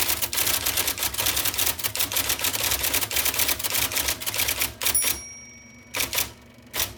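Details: 1979 IBM Selectric II (non-correcting) typewriter, revived after fixing miswired plug, cleaning and lubricating: crisp, rapid keystrikes in even clatter, then spaced strokes; clean, normal typing.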